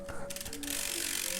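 Quick, even ratchet clicks as the hub freewheels, then it picks up instantly under pedalling with no drag; this hub is healthy.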